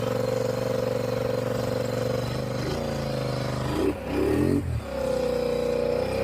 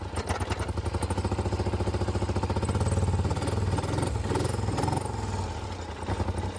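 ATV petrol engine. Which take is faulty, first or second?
second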